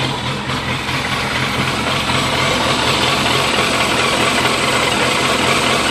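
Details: 2001 Yamaha FZS600 Fazer at idle: rough, uneven beat with revs drifting up instead of holding steady, hunting idle.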